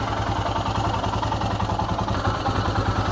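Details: Royal Enfield Himalayan single at idle after timing chain tensioner replacement: steady, even thump with no chain rattle or ticking on top; engine sounds healthy.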